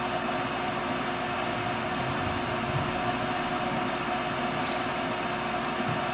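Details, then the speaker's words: Brand-new furnace on temporary power cord, door switch held down; after the igniter lights, a steady, even rushing roar with faint constant hum settles in, burning normally. "Here's the igniter. There it goes."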